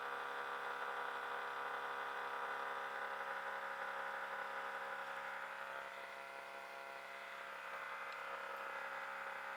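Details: Hitachi 25 RPD/WPD running abnormally loud: a steady, dense buzzing whir with a fine, rattly ticking that never changes pace; the cause is unknown.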